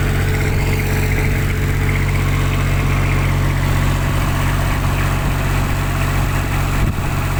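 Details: Kubota tower light diesel, after a clogged primary fuel filter, loose fuel hoses and an air lock caused a no-start: even, steady low idle with no misses, hunting or knocks. Running cleanly.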